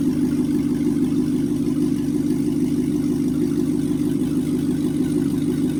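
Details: First start of a C6 Corvette after an LS2 swap and ECU converter box install: smooth, even V8 idle with steady low burble, no knocks or misses, good oil pressure, then clean shutoff.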